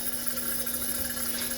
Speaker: until we get beautiful blue flames what's happening right now is we're heating up that generator we want to heat up the generator so that it'll turn the liquid fuel to a vapor or a gas this process is called priming